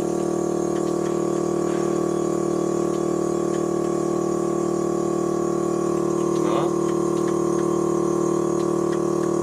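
Steady, even electric hum with a fixed pitch and no rattle or surging; the suspension compressor is running normally.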